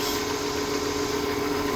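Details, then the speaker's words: 1992 Ford F-150 after pushrod cover gasket and thermostat replacement, cold start with radiator cap off for bleeding, thermostat not yet open: even, slightly fast cold idle, steady mid-pitched drone, no ticking or misses; running properly. "so let's start it out well the truck seems to be running properly"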